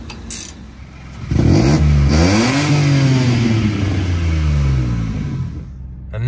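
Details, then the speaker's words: Citroen C1/107/Aygo after repairing the rusty exhaust and sealing the joint with silicone: revs rise and settle with a deep, clean note and no blowing at the joint; sounds louder on the phone but is quieter while driving. "according to the sound on the on the phone it sounds louder but it's not I assure you it's actually a lot quieter when I'm driving the car"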